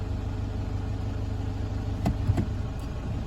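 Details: 2009 Toyota Hilux 1KD-FTV D4D diesel, 218,000 km, after replacing one faulty injector, idling in drive with aircon on: smooth, low hum with no knocking or uneven firing; normal idle.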